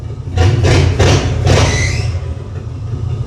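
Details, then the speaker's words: 1950 Ford with custom EFI, new spark plugs and new throttle pedal; sharp revs in short bursts, then a brief high chirp as revs drop; alternator belt is loose and slipping, needs tightening. "Ooh, need to tighten that alternator belt a little bit, but"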